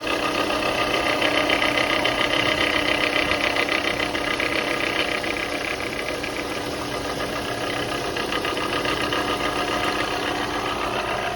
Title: Bad Alternator vs Good Alternator